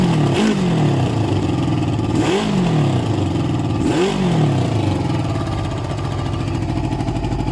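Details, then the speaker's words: Suzuki ZL600 Eliminator after carb cleaning and balancing, running with no choke: three sharp throttle blips, revs climbing and falling cleanly with no stumble or bog; carbs still likely need upjetting; clean throttle response. "So you can hear the difference there, guys. It's running now with no choke actually. And listen, watch the revs, no hesitation."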